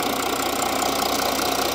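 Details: Audi engine at light throttle whose buyer suspected a previous engine swap; camshafts found not locked; a fast, even metallic rattle rides over the steady hum, noise absent the day before when warm, source unclear.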